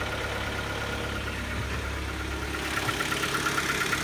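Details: Kia Optima just after start-up, settling into idle with a light, fairly regular tapping knock on top; mechanical knock from a failing engine, ultimately resolved by replacing the engine under warranty.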